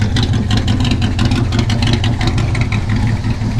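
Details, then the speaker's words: Ford Maverick engine running, belt working, charging 13.8 V: steady even low rumble, no belt squeal; owner unsure of possible small knock or slight exhaust leak. "the belt's working just fine and you hear that"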